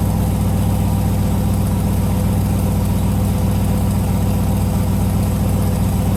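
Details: Turbocharged LS V8 in a Jeep YJ after the build: deep, steady idle with an even loping beat and no knocks or ticks; normal idle.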